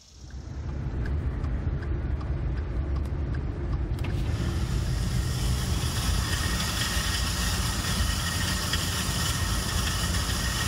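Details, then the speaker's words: 2013 Ford F-150 4x4 driving down the road: intermittent rough grind with a hum on acceleration, from the four-wheel drive partially engaging; the fix is replacing the failed IWE solenoid and check valve. "so I figured out what the problem was it was the four-wheel drive on acceleration was trying to engage and parsley engaging and making that noise which is quite a record"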